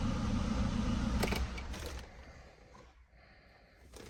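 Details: 2002 Renault Scenic 1.6 petrol after repairing a bad contact/damaged wire that left the engine ECU with 3.5 V instead of 12 V (no communication, no crank): steady low hum, even beat, running smoothly.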